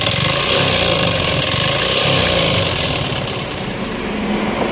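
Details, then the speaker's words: Yamaha Spark 135i motorcycle before engine repair: a harsh, loud metallic clatter, about four knocks a second, over the running engine; the engine was rebuilt with R15 parts. "รถคันนี้เครื่องดังนะครับดังแก๊กๆๆดันเยอะเลยครับ"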